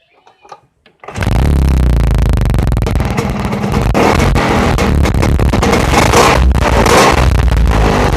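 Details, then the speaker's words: Vespa two-stroke after new piston and rings replaced a scored piston that made clicking noise: starts and runs with loud buzzy exhaust and big-fan roar, even beat, no piston clatter; healthy running after repair. "Oke, jadi bunyinya memang udah nggak iclik-iclik, tapi bunyi kipas, knalpot juga keras ya kan, maklum karena ini motor Vespa, kipasnya besar ya, otomatis suara kipasnya lebih terdengar ya."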